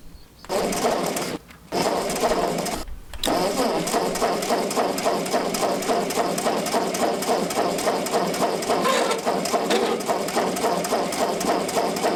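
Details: Ford 8N tractor with gravity-fed fuel, after replacing a plugged inline fuel filter at the carburetor and resealing a cross-threaded fitting with Teflon tape: a couple of short cranks, then fires and settles into a steady, even chuffing idle that keeps running.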